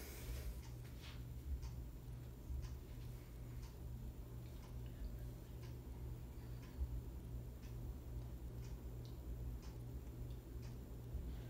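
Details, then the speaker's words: Harbor Breeze Ocracoke 42-inch ceiling fan (2019 remake) on medium speed: steady low motor hum with faint, fairly regular light ticks. A slight ticking noise, cause unknown. "make a little bit of a noise but you know it's not like absolutely annoying but it's still making little noise"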